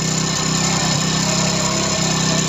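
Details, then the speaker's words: Hero Passion Pro i3s motorcycle after timing chain replacement, idling: steady single-cylinder idle, earlier chain rattle gone, but a light quick tick remains; tappet noise suspected, needs tappet clearance setting with a feeler blade. "थोड़ा हमें ये चीज़ लग रहा है कि इसकी जो tappet है उन चीज़ों की साउंड आ रही है।"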